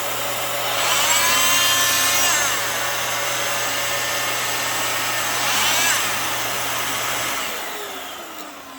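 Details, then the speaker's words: Dyson City DC26 Multi-Floor vacuum, used machine: steady high even whoosh with constant motor tone, no rattles or bearing grind, pitch holding firm; motor sounds perfect and healthy, suction good. "You know, the machine runs great. The motor sounds perfect. It sounds very healthy."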